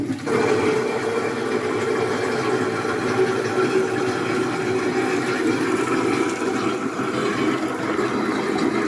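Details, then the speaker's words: Toilet fill valve with failed muffler, before repair: loud steady rush and hiss of water refilling the tank with no softening; after the fix it was much quieter. "um muffler on our toilet quit working so i'm gonna have to that'll be today's project to fix that um so here's what it sounds like without the muffler"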